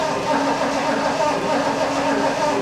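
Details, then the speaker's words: 1974 Lincoln Mark IV parked 36 years, first attempt with fresh battery, spark unchecked; starter spins engine briskly and evenly, no clicking or dragging, cranking healthy. "All right. We got it's turning over good with uh we better check see if we got spark."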